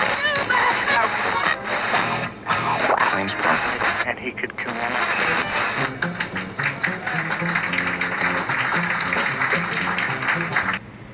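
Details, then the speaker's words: FM tuner after cleaning its oxidized tuning condenser contacts with DeoxIT D5, RF not yet realigned: a station's music and voice play steadily with no crackle, pops or dropouts, now tunable. "so you can see the difference now that we've cleaned it up we haven't done the full alignment yet but that at least makes it tunable"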